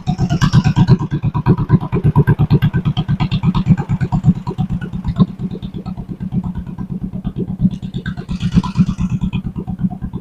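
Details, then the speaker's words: 1958 John Deere 420W tractor, converted to 12 volt and abandoned over 35 years, running without a muffler: quick, even popping exhaust beat with no skips or knocks. "Does that sound better without a muffler, or do you want a muffler? That sound, I can't even hear it running hardly. I like that."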